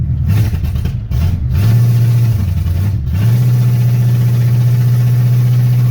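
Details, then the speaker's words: 1984 Chevy C10, 305 small-block V8, just fitted with headers and no mufflers (mufflers to be added later): deep, loud open-pipe rumble through quick revs then steady even idle; runs healthy, just very loud. "Yeah, she sounds good. Woo! We'll get some mufflers on in the next couple of weeks. Quieten her down a little bit."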